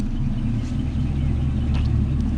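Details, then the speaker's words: Nissan 720 (700) pickup whose alternator still isn't charging the battery: deep, steady low rumble at idle with an even beat and no knocks or ticks; the engine runs good. "Yeah, she'll quiet down. Then when you gotta wake her back up, you take that thing, you hit it. Then she get the rumble. Yeah. She run good, man."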